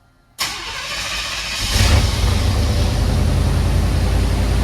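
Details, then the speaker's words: Chevy G20 4x4 camper van, first start after exhaust welding and brake bleeding: cranks and catches in under a second, then settles into a steady even low rumble with no ticking or puffing and no exhaust leaks heard. "Everything Heck yeah, sounded good. man"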